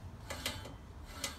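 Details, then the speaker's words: Scott Bonnar Model 45 mower cutting reel spun by hand during install and setting. Light, irregular ticks as the blades catch the bedknife unevenly, too tight on one side and too loose on the other; needs adjusting. "we want to fine-tune that this side to me sounds like it's too tight this side censors too loose so we need to adjust the real like this screwdriver and spanner"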